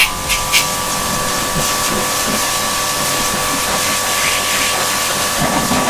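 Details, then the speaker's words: Kärcher K7.20 pressure washer, old unit that previously only hummed and wouldn't start when plugged in; after home repair, steady motor hum with constant whine and loud hissing spray, even and unbroken — running normally. "Хороший аппарат 720. Видели там? Или асфальт плохой, или аппарат хороший. Из двух одно. Ну, получился отличный аппарат, хорошо работает."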